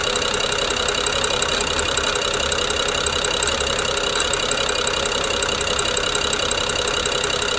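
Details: BMW N55 at idle: busy metallic clicking, nearly four per second, over an uneven jerky idle; owner suspects Valvetronic gear and eccentric shaft, unchanged after new OEM coils, plugs and VANOS solenoids within last 5000 km.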